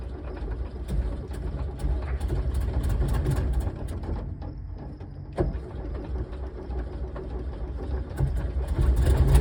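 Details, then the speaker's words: 1968 VW double cab transporter that sat 5 years, first run on gas shot in and then fed from a jerry can: loose, uneven knocks, sometimes heavy and low in the engine, come and go over a lumpy idle. Cause unknown. "Well, sounds like pretty nasty knocks. Yikes. Pretty noisy."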